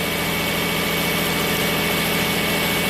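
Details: 2005 Nissan Maxima V6 with a junkyard engine, 165,000 miles, code P0303: a steady idle with an uneven, loping stumble from a dead miss on cylinder 3. No coil control signal; the wiring fault lies between the connector and the engine computer.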